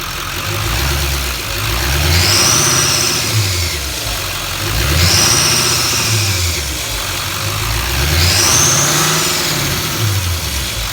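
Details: 2015 Duramax LML diesel truck revved three times after EGR delete and intake bridge pipe install: sharp high whistle with each rev; exhaust leak suspected, not confirmed.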